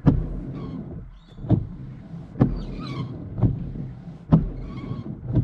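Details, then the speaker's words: After coconut oil on the wiper blades and polish on the windscreen, wipers sweep a dry windscreen with a soft even swish and a light thud at each turn. The previous shuddering and vibration are gone. "see that so all that shuttering is gone and they just operate a lot smoother now right"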